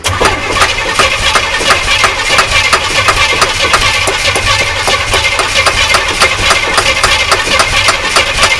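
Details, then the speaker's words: Imported non-running GMC Vandura V8 van: steady starter cranking about three even beats a second with no firing. Crank no start; fuel pump now delivers no fuel, suspected no fuel pressure, unconfirmed. "okay nothing that's weird let's just take this pipe off down here again and get a load of petrol down my arm must have absolutely no pressure"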